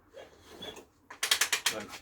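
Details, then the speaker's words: Temporary engine newly fitted to a project motorcycle, spark plugs out, ignition off, turned over on the kickstart: short run of crisp, even ratchet clicks with no bangs or clunks; kickstart mechanism working normally. "no bangs no clumps Kickstart mechanism appears to be working"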